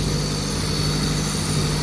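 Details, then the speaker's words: Honda Turbo GSR Integra after cylinder head reinstall and valve adjustment, started right up: steady, even idle with low smooth hum, no knocks or misses, some parts vibrating; normal idle. "Idling now, it sounds good."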